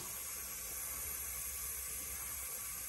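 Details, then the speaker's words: Steady hiss of compressed air through the throttle plate of a 1997 Lincoln Town Car 4.6L 2V during a leak-down test. Cylinder 6 holds only about 30%, suspected to be a leaking intake valve, after timing chain failure; the head must come off. "and it is I believe an intake valve simply because I can hear it coming through the throttle plate here"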